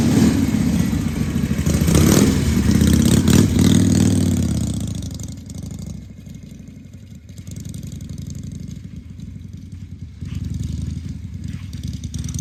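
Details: 1978 Harley-Davidson Shovelhead FXS Lowrider after cleaning the carburetor's accelerator pump and fine-tuning the carb: loose, lumpy V-twin beat rising on throttle, then settling to an even idle; running pretty good.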